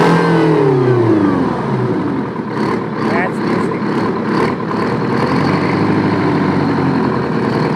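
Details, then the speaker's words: Old Detroit 9.3 L two-stroke diesel, firing every stroke, tops out about 1,800 rpm at full throttle: revs drop into busy even bark, screams at modest speed; normal idle and rev. "Sounds like it's screaming because it's popping on every on every upstroke. There's no suck, squeeze, bang, and fart on this. It's firing on every stroke."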